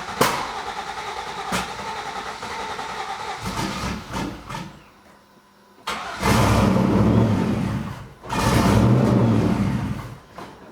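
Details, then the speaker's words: Turbo Z28 Camaro first start on new ECM wiring and base tune: cranks, catches, stumbles unevenly, shaky revs in two surges; just needs more fuel. "Yep, just needs more fuel. Getting there."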